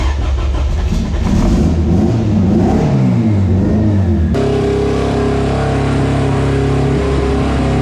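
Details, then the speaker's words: Dyno-day race car engine with a misfire that persists after the spark plugs were changed to new ones gapped at .017: a hard rev drops back to a lumpy idle with an uneven stumble. A cylinder is missing, and a compression check follows. "all right so we had a Miss so I have Jamie change the plugs and get started again"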